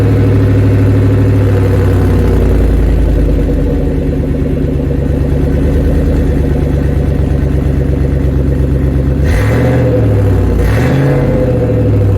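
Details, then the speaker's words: Truck exhaust after a fix: a loud, steady low rumble with even pulsing and no buzzing drone; sounds a lot better than before, healthy exhaust note. "well that sounds a lot better than it did before"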